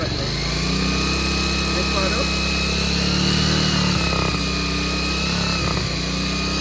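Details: Second-hand Bajaj Pulsar 150 single-cylinder with old carburettor, revved on choke: uneven revs, stumbling as throttle opens, only partly picking up; fitting a Discover carburettor later made it smooth, confirming the faulty carburettor.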